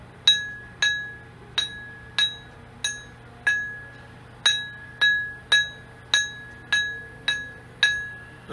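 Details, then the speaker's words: Surface grinding wheel ring test in a quiet room: light taps each give a clear, full bell-like ring that fades smoothly. This means the wheel is sound and uncracked; a cracked wheel would give a dull thud. "lightly tapping see how does that full ring all the way through it"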